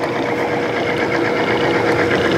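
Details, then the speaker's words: Timken OK load test bearing running in Amsoil 10W-30 synthetic oil under light load before weights are added: even mid-pitched hum and steady whirring, started noisy then quieting down, no squeal or grinding; running smoothly. "as you hear it started off noisy now it's quieting down"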